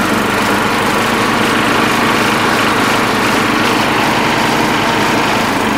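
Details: Sears Suburban SS12 garden tractor, believed 1970, after carburetor repair, driving in high range with mower blades engaged: steady even drone, no misses or knocks; pulling load normally.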